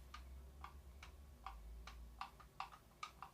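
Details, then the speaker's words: Rofvape Xer 90 vape box mod with the battery installed: light, uneven plastic clacks as the magnetic battery cover keeps moving in the hand even with the battery in, a loose battery cover. "Alors tu vas me dire, oui mais cette plaque elle bouge parce qu'il n'y a pas de batterie. Ah bah si seulement. Voilà. Elle arrête pas de bouger."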